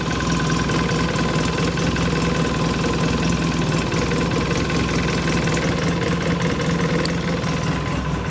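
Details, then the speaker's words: 2006 Polaris Sportsman 800 EFI twin ATV (485 hours, 2,700 miles), in neutral after throttle body cleaning and new plugs, idles steady and even around 1100–1150 rpm with no knocks, misses or surging; normal idle. "Let's see, I got it in neutral, right? Yeah, neutral. Yep. Right up, 1100, 1150 right there."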